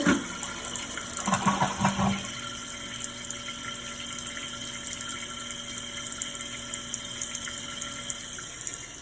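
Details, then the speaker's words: Toilet after its noisy fill valve was replaced: a soft, steady rush of water refilling the tank with no whine, squeal or after-noise. "The only noise you can hear is the water going in there. Refilling. Ain't no after noise, you heard it."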